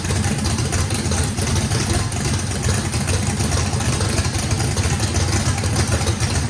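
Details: Brand-new radical-cam race V8 on its first fire-up, with heavy overlap and lobe separation; the throttle blade is about 6% open to idle. Loud, choppy, steady loping beat; healthy normal lopey idle with no blow-by.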